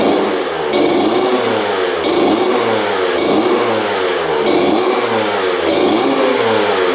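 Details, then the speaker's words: 2000 Honda CR125 two-stroke after connecting the power valves and adding fresh 40:1 fuel, idle turned down: crisp, clean, even revving blips with no misfire and now blue smoke; running healthy, though slightly boggy on top end. "all right seems like it's running pretty good it's idling really high let's get that idle down all right there we go idling nice and low"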